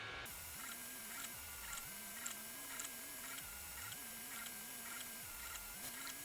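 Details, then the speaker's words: SUNLU Terminator3 (T3) 3D printer printing a Benchy: soft stepper hum shifting pitch with each head move over steady fan whir, no clicks or grinding; head nearly silent, fans loudest, printing normally. "on entend les ventilos, il n'y a pas de problème, mais la tête d'impression, hein, on n'entend rien."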